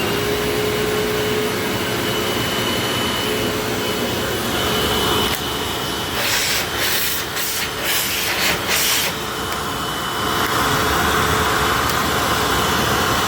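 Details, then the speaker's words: 19-year-old vacuum cleaner after motor bearing replacement and commutator polishing: smooth steady motor whine with even airflow rush, no grinding; previously long wind-down with bearing noise now gone. "That is way better. So before this thing actually had a long wind down and with that long wind down there was definitely some bearing noise."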